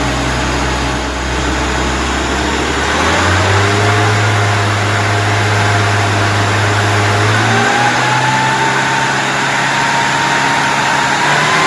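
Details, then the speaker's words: Mini on carburettor, final snap-throttle check after profiling the needle; revs snap up, hang heavy and flat before settling, showing too much fuel; fix was thinner damper oil. "Uh just the final checks on the snap throttle. And as you can hear there, I'm saying that it's too much fuel."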